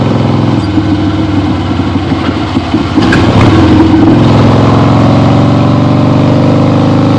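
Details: 1975 Harley-Davidson XLH Ironhead Sportster, freshly rebuilt and basically stock, on a test ride with the camera clipped to the rider: low V-twin rumble picks up cleanly with a throttle blip, then settles to an even, steady pull, no popping; healthy.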